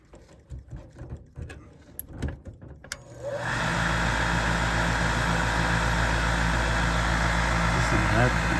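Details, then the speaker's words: York gas furnace draft inducer motor in crawlspace: spins up to a steady hum with regular tapping about four times a second, like the wheel hitting something; failing inducer motor needs replacing. "I have to change that SS like it's hitting something"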